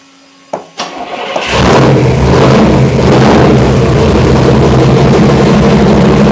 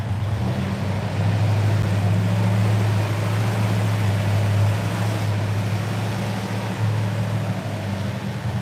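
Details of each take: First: Freshly installed Chevy V8 on first start, timing and fuel ratio not yet set: cranks, catches and settles into a loud, lumpy idle that hunts a little while warming up. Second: V8 started after cranking to prime fuel and oil pump, easy start: deep, steady burble with even lope, no knocks or misses; a clean healthy idle.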